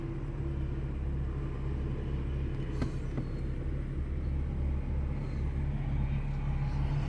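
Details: Ford with P0300/P0302 misfire codes, after repair and check-engine light cleared: steady low engine hum at idle with no stumble or uneven beat; running smoothly on all cylinders.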